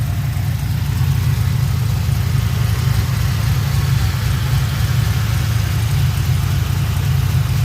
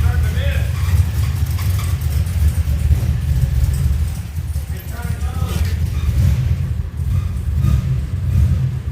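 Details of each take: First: 2007 Pontiac GXP LS4 V8 after rear head bolt thread repair, restarted: deep, steady, even idle rumble with no knocks, ticks or hunting; running normally. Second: 2007 Pontiac Grand Prix GXP LS4 V8 after rear head bolt thread repair, first start after about 30 tries: uneven lumpy idle surging and sagging, strained as if something dragging, then stalls; suspected mechanical or wet slipping belt, oil not milky.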